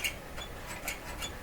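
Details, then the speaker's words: Stromberg Carlson Model 515 radio tuning dial: light, hissy scrapes about two to three times a second as the tuning knob turns; the dial drive wheel was knocked out of alignment and rubs, likely from the radio being stood on its side. "so the wheel here is knocked out of alignment and when I'm tuning it you hear that scraping sound"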